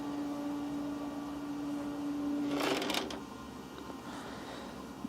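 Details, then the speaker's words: Dyson TP04 tower fan, owned 2 years, switching to reverse airflow: the steady hum stops, then a short dry crackling creak of about half a second follows as the internals shift; the creak has worsened over two years. "i heard a little bit of creaking because the fans have to switch positions within the fan but that's it but it seems like now after a couple years into owning the fan this creaking has gotten a bit worse"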